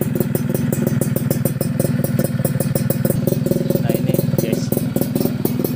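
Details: Yamaha F1ZR Millenium two-stroke during engine teardown/restoration, where chicken feathers had been found inside the original intake manifold rubber: crisp, even crackle with steady rapid firing pulses, no knocks or rattles; running healthy.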